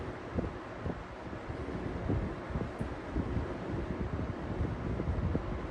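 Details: Edison Comfort Conditioner box fan (owned since 2007) after applying glue dots to shaft for slipping hub: steady airy whoosh with no rhythmic slipping, surging or clicking; hub seems to be holding on shaft, normal running.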